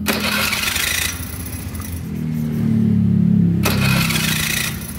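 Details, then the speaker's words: Honda Beat FI with a rough, noisy starter: a harsh gritty grinding whirr through each crank burst, close to the starter; the pinion gear (granat) is then inspected. The bike also tends to die when the engine is hot. "nah jadi ada suaranya e yang apa yang ngejelengiknya gitu"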